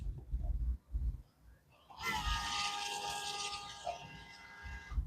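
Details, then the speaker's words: Audi SQ5 diesel after fuel filter replacement, fuel pump run via diagnostic output test on engine module: loud, steady electric hum with faint whine for about three seconds; pump priming fuel normally before starting. "I'm sure you guys can hear it it's quite loud which is awesome so it's priming fuel then it's running on my system here hopefully it's going to run until it's full then I can start the car"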